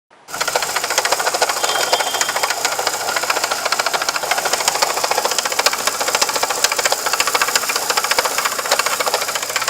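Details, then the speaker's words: VW Gol: fast light ticking rattle at about three or four a second over the idle, seeming like internal engine damage, but the cause is the water pump. "galera bomba d'água circulação da água do motor o barulho do motor dá impressão que pode ser uma coisa interna"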